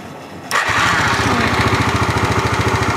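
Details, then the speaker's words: Yamaha Mio scooter after carburetor fix (air screw adjusted, membrane checked for leaks) that had coughed and wouldn't idle: engine catches quickly and settles into a smooth, stable, even idle, where before the sound was erratic. "soal suaranya sini ya Kalau tadi Suaranya ndak karu-karuan karena dari sini juga sekarang sudah halus"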